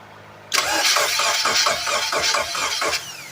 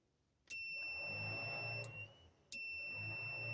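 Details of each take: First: Abandoned project engine, sat a while, fuel injected: steady starter cranking, about four even compression beats a second for over two seconds, never catches; fuel pump not running, later starts on brake cleaner sprayed in throttle body. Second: Battery hooked up through a push-button switch on an abandoned, long-sat project car, electric fuel pump by the tank: steady high-pitched hum switches on, pauses, returns evenly; pump priming normally.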